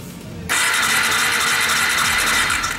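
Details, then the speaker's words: New Bajaj Dominar 400 motorcycle that won't start: the starter spins the engine at a steady whir for about 2.5 seconds but it never fires. Spark was later confirmed present. "vamos a comenzar dando marcha como puede escuchar solamente la marcha pero no logra arrancar"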